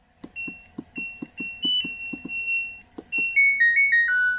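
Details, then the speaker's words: LG Smart Inverter washing machine control board, bench-powered on 220 V, which reportedly shuts off mid-cycle: soft clicks, then a clear rising-and-falling chime. Indicators and buttons work normally; normal start-up tune. "untuk modul mesin cuci ini tidak ada masalah ya teman-teman. Untuk indikator nyala, tombol-tombol pun berfungsi dengan normal."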